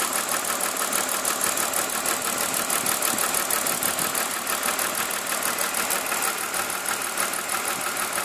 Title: M52TUB20 misfire cyl. 6